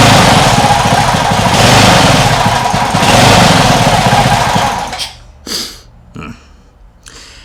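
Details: Homemade air-cooled outboard built from a lawn mower engine runs with an uneven, lumpy beat at low throttle, cutting to quiet patches; owner thinks idle may need setting higher, suspects water caused quitting.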